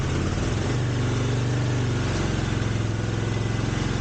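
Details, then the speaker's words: 1983 GL650 V-twin motorcycle that sat outdoors 30+ years, with carbs cleaned, started on choke: steady, even low-pitched idle with a fast uniform exhaust pulse, no misses or knocks, clear exhaust and no smoke; normal idle. "looks like a good engine starts right up doesn't smoke now this is after sitting for 30 years and it wasn't inside either it was outside somewhere"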